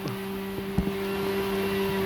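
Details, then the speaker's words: Yamaha RX-King two-stroke before piston replacement: idle steady and not very noisy, but a loose knocking "ker" sound right after the throttle is released; piston slap. "Tapi kalau setelah turun gas dia bunyi ker gitu ya."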